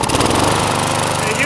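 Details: Old crank-start lawn mower, refuelled after running out of gas and primed with the primer bulb: steady rapid single-cylinder putter at even speed, no misses or surging; runs normally.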